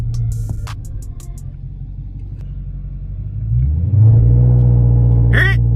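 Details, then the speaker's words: Dodge Charger Redeye supercharged V8 with launch control engaging automatically in Drive, custom mode, brake and throttle applied: deep steady rumble climbs and holds at raised rpm against the brake, normal launch control hold with no faults. "you hear launch control engage when you apply break apply throttle you hear it automatically engage"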